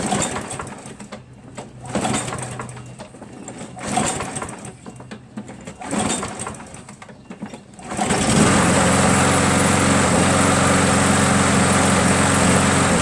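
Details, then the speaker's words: Craftsman 7 hp self-propelled mower, Mechanic in a Bottle soaking in the fuel about an hour and a half; valves lapped twice, carb cleaned three times, keyway checked: four or five pull-cord bursts without catching, then it fires and holds a steady buzz. Hard starting. "so as you can see and thus eventually start but thus take a bunch of pools right"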